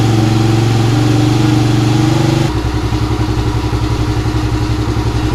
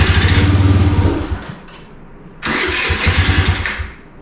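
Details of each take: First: 2017 Kawasaki KFX50 kids' ATV after switching petcock from reserve to on: brief rev then even, steady idle; now starts and idles normally but won't take throttle, main jet suspected dirty or small. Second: 2017 Kawasaki KFX50 kids' ATV, unused for years: on starting-fluid spray it fires and runs rough and quick for about a second, then fades out, restarting and dying again; engine believed fine, carburetor suspected of starving it of fuel.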